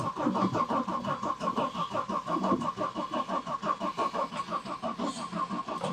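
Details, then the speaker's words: 1991 Audi 90 quattro sport 20v, off the road about 14–15 years, cranking evenly at about three pulses a second but never catching; has compression and spark, fuel pump not heard running, old gas suspected; sputtered only on starter fluid: crank no start, no fuel delivery. "okay so the 90 has compression has spark not getting fuel tested it with some starter fluid fired up in the sense that it sputtered and drank up the fluid that I gave it"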